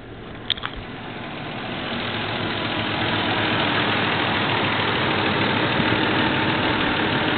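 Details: Toyota 3VZ-E engine after a rebuild, about 15 miles on it: starts with a quick crank, then settles into a smooth, even idle with no knocks or ticks; normal idle.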